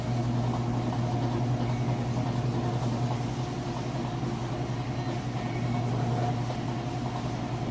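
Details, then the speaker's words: Whirlpool top-load washer at full spin speed after being run through each cycle: steady, even low hum with soft swishing whirr, no knocking or thumping; healthy, smooth, fast spin. "and it's up to full speed spend a nice and fast so I've already ran a couple of close through here through each of the cycles"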